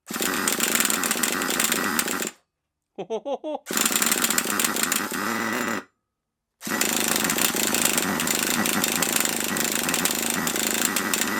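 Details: HotBodies 3.5 nitro engine in HPI Savage 21 RC truck, just started: fast raspy screaming idle with brief cut-outs; idle set too high and noisy, idle screw turned out to lower it.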